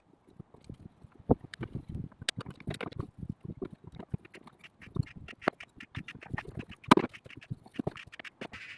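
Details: Land Rover Defender 90/110 (Puma or TD5): repeated quacking squeaks as the clutch pedal is pressed, from a dry clutch linkage box in the engine bay needing grease, not the pedal or its spring.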